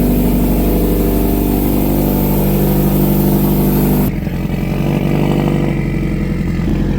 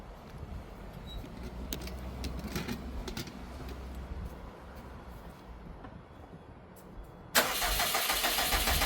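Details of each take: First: 2012 Subaru STI hatch on its first start after an engine rebuild, having sat 9 years: a strong, even idle that revs cleanly and drops back smoothly with no knocks, ticks or rattles, sounding really good. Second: 2012 Subaru STI hatch on its first start after an engine rebuild, having not run for 9 years: a loud, harsh, raspy blat like a weed eater, from exhaust blowing out of the open O2 sensor port.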